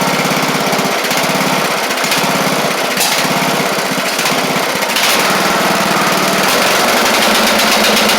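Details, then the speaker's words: Craftsman LT1000 Briggs Intek after head work (push rods not bent, compression release working): starts right up, but at high throttle has a lumpy, uneven burble of roughly four beats a second, sounding rich. Owner suspects a bad carburetor or the mixture screw out too far. "I think this carb is trash or something unless he's got this screw out too far which I maybe maybe yeah I don't really like the way that uh that carb is"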